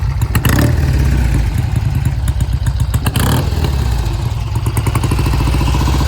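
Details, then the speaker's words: 1971 Triumph T120 650 twin on a test ride under load: uneven, stumbling beat as the left cylinder cuts in and out. Client says it clears once warm, but not seen here; cause unknown. "The left cylinder never came in consistently. I could hear it cutting in and out."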